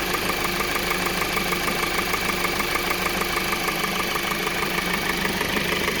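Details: 2020 Kia Soul 2.0L at 20k miles, serviced every 5k: fast even ticking knock about three per second over the idle, piston slap attributed to faulty piston rings; engine eventually failed completely and was replaced under warranty.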